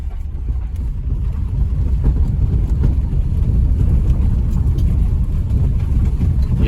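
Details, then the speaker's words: Renault Zoe ZE40 with 5AQ drive motor, on a road test after motor bearing repair and rebuild: only low tyre and road rumble, with no whine, hum or grind from the motor and no suspension knock; normal quiet drive motor. "no noise at all from the motor can't hear anything from the suspension tracking is miles out that's not a surprise but yeah that sounds well Sound of Silence pretty much"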